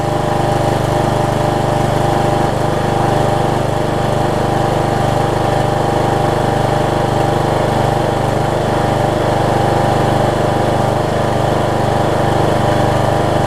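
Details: Troy-Bilt Bronco rider swapped from 20 hp Kohler Courage to 17.5 hp Briggs with new carburetor and retrofitted older Troy-Bilt muffler: steady, even single-cylinder drone at one speed, no knocks or rattles; healthy, exhaust seemingly quieter than before.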